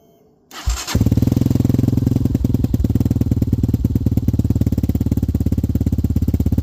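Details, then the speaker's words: Hawk 250 (Hawk DLX) with EFI, fitted with a new Pro Circuit performance muffler with no baffles or restrictions. It is quiet, then fires and settles into a loud, even, lumpy single-cylinder idle with a deep bark, no misses. Normal start and idle. "No baffles in it, no restrictions. So we're going to fire this thing up and let y'all hear it in a second."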